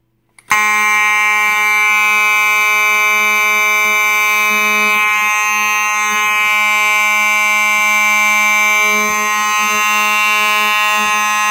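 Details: Simplex 4903-9219 rectangular horn strobe from 1997, activated by a pull station: a loud, steady, buzzy horn tone holds for the whole run without wavering or dropping out; the horn is working properly.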